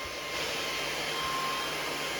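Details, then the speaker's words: Powerjack 12000 low-frequency inverter just after a 6,000 W load test, all loads off: a steady, airy fan rush with a faint whistle; the cooling fan runs normally to shed heat. "there goes the fan you can hear how loud that fan is still on"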